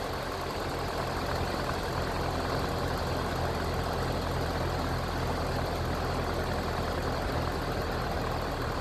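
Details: Massey Ferguson TEA20 tractor after a service and tune-up with new points, fresh oil and filter, engine not yet fully warm and oil pressure rising. A steady low rumble at even idle with no knocks or misses. Normal running.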